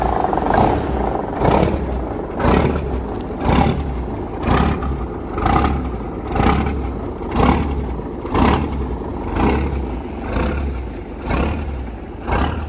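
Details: 1972 Ford L900 dump truck, 855 Big Cam Cummins diesel with 10-speed, first start in late March after sitting since autumn; heavy diesel rumbling steadily with a slow, even swell about once a second; normal cold start.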